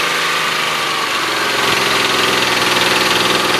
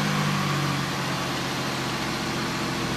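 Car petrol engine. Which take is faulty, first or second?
first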